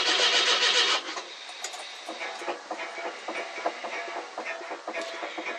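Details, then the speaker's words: 42-year-old carbureted car with an old mechanical fuel pump, cold start after sitting a couple of months: steady cranking at three to four beats a second with no catch as fuel is pulled up to the dry carb; weak pump suspected. "The last time I tried starting her, needed to put a little bit of fuel in the float bowl. But we'll see what happens. It'll take a bit to get the fuel up to the carb."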